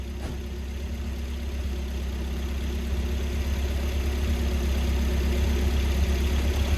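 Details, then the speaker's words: Volvo after swapping the ECU and fuel pump relays and probing the 25 amp fuse connections: steady, even low idle with smooth drone, no misses, knocks or hunting; running as before the problems, exact fix uncertain. "It's running, and it's running exactly the way it was before all these problems happened."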